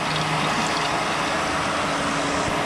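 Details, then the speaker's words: Toyota billet 3TC drag car at its first start-up: a new fitting was fitted after an earlier leak, then the water system was checked. Constant hum and rushing hiss with a faint steady tone and no surging. Water pump and fans run with no leaks, so coolant is circulating normally. "check the water system here we go water pump [Music] [Applause] and we are good fans kicking no water leaks will flow in water"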